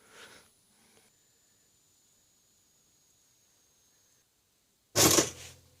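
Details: Kenwood TTP102 two-slot pop-up toaster (2008), after repairing the lever that wouldn't stay down: one sharp clack as the lever drops, then a faint steady hum while it holds down; the latch now catches normally.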